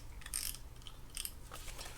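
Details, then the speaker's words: Daiwa TD Advantage 3500 spinning reel after service and reassembly, handle turned by hand: a light, uneven ticking and gritty clicking. The noise comes from worn bearings, as expected. "the crank a little bit of noise that noise comes from the bearings we expected that already"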